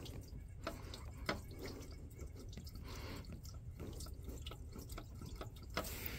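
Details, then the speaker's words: 2007 Toyota Sienna with irregular drips about one a second over low rumble: coolant leaking, likely from failing water pump unless just a hose; radiator cap also failed to hold pressure. "Now it's making noise. Oh yeah. That's definitely a water pump leak. Unless you get lucky and it's just a hose."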